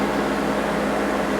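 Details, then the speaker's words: Window AC heard from outside at the owner's sitting spot: steady, loud fan roar with constant low hum, no knocks or squeals; noisy but running normally. "too noisy and it bothers me when I'm trying to sit out here and listen to the birds and stuff in the spring"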